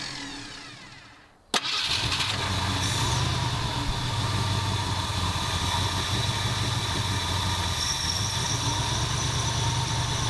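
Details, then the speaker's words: 1977 Ford F250 351M with Duraspark II electronic ignition, cold start: cranks, catches and settles into an uneven idle with faint pops despite new plugs and coil; later suspected carburetor blockage and fouled plugs. "i don't know what the deal is it still pops and it runs a teeny bit better it doesn't run great"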